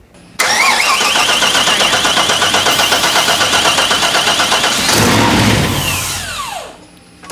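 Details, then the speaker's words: El Camino with 7.4 big block, cam sensor just corrected: fast steady cranking near four beats a second, then a sharp pop and rumble; backfires through the intake without starting, timing now correct but injector firing order wired wrong. "firing order oh it's still cool that sounds awesome that snow backfires through the intake yeah which is means that our timing is now correct just need to correct the injector firing order apparently"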